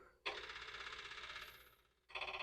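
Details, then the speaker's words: Dirty, dented Commodore 4040 dual disk drive, probably from a thrift store, on a catalog D0 command: quick bursts of rapid clicks with pauses as the heads knock and fail to read the directory; nothing comes up. "Okay, that's weird noises. Nothing comes up."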